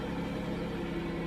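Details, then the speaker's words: 2008 car with the 3.8 engine at a salvage auction; it runs really rough and is suspected of a rod knock. A faint steady whine sits above the low, rough idle throughout; power steering pump whine, car seems beat on. "Oof, yeah. Power steering wine. This thing's been beat on."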